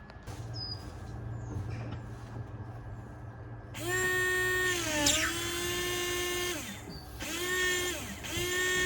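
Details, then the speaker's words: BMW Z4 E85 windshield washer pump, removed from reservoir while troubleshooting non-working washers: steady mid-pitched electric whine that dips briefly and resumes twice; pump is working normally. "well I can hear that the pump is working okay"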